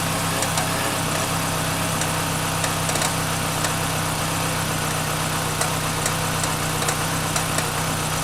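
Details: 1996 Chevrolet Cavalier 2.2 just after water pump replacement and coolant refill: engine catches and settles into a steady, even idle with a constant low hum, no knocking or misses; runs normally.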